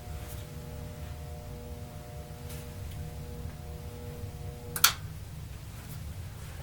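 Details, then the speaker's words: Thrift-shop Tektronix 574 oscilloscope at power-up without Variac: faint steady 60 Hz buzz over room hiss, cut off by a click near five seconds, from a dry-bearing cooling fan turning at about half an RPM and needing lubrication. "I think it was pretty clear that that thing was rotating at about half an RPM and emitting a bit of a 60 hertz buzz"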